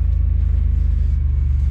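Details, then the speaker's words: Grand Prix under restoration, right after the power steering fluid was replaced and cycled through the pump: low, even engine rumble with no whine or groan; pump already much quieter than before, quiet power steering pump. "let's go cycle all that new fluid through the pump I can tell that it's already much quieter than it was"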